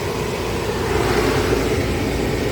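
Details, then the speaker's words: 2016 Volvo XC90 blower motor after reviving missing LIN bus signal with test light (faulty CCM): loud steady air rush and even fan hum at full speed, no rattles or squeals; blower working normally. "And you can see now fan is turning, right? You can hear it. And uh let's turn it to full speed. It's going to be loud, but let's see."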